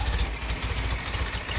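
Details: Willys Jeep four-cylinder after nearly 15 years unused, first-try start on fuel fed only to the carburettor bowl, runs briefly: steady, fairly quick low putter with even firing pulses, no knocks or misses; normal idle.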